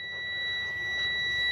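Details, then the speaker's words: Cub Cadet RZT 42 zero-turn mower with the seat switch cut out: steady, piercing warning buzzer without a break. The cause is traced to wiring and a switch; the beep stops once the connection is fixed. "okay so you can hear it beeping"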